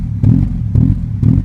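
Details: 16V engine at idle: a low idle that swells and dips roughly twice a second instead of holding steady, an unstable surging idle.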